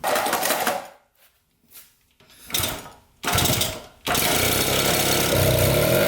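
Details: 1974 Honda Elsinore 50cc two-stroke, first start on a new spark plug with good blue spark, fuel pouring out: it sputters in short bursts, cuts out twice, then catches and buzzes unevenly. Rough running.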